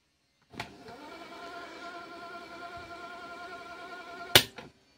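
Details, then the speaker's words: National Panasonic RX-1650T radio cassette player fast-forwarding a slightly tight cassette with the counter running fast: a key clunk, then a steady, constant-pitch motor whine and a clunk at stop. Normal fast forward. "यह देखिए आवाज आ रही है आपको यह देखिए यह देखिए कांटर भी बहुत फास्ट जा रहा है"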